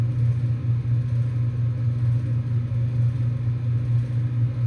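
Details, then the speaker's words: 2024 Bryant heat pump in heating mode, about one minute after first start: deep steady scroll compressor hum with a loose, growling rattle that swells and fades and dampens slightly; owner wonders if something is loose inside the compressor. "Listen to that compressor. If that thing stops rattling in and out. Now it got dampened a little bit."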